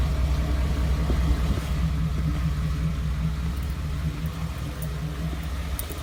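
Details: 2014 Ford F-150 5.0 V8, 54,000 miles: deep uneven idle pulsing about twice a second with ticking that began around 52,000 miles and worsened into rough idle after a dealer visit; cause unknown.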